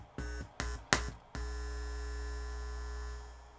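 After a few thumps a steady low buzz holds and then fades; that is mains hum getting in through leaky muting caps at the preamp jumpers.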